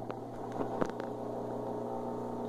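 Steady low motor hum with an even drone and only a few light clicks; the washer is running normally with no grinding.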